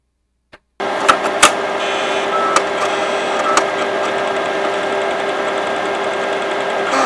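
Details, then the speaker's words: Imation LS-120 SuperDisk drive, likely unused for a long time, reading a 3.5-inch floppy: irregular clicks and chirps over a steady whir, about three a second; abnormal head seek, cause unknown, the odd noise later stops. "Oof. That one sounds a little strange."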